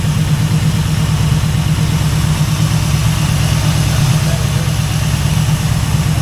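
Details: Chevrolet El Camino V8, hot, after timing was checked: deep, steady idle with an even low rumble and no lope or stumble; the earlier big-cam-like lope is gone, running smoothly.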